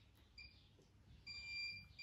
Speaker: if it works you're only gonna hear a tiny beep every second or so uh if it doesn't work you're gonna hear the same loud beeping continuous beeping from the previous video